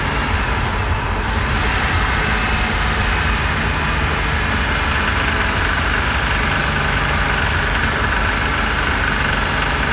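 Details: 2006 Porsche Cayman S, rebuilt engine with 40,000 km, warmed up, driving around 3,100 rpm in second and third gear with the engine cover off: quick light knocking over the drone; cause unknown, external sources ruled out.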